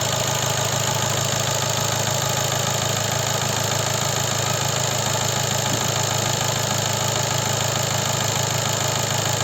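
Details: 2014 Seat Leon 2.0 TDI diesel idling after oil change, run 10 minutes: steady clatter with faint even knock underneath; quieter than before the oil change, but the knock remains.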